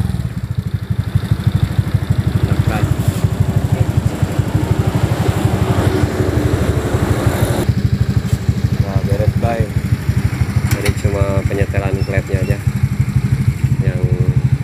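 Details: Honda Beat FI injection scooter engine idling after valve clearance was set to standard to cure a noisy top end. Steady, even low putter with no ticking or tapping; idling cleanly and healthy.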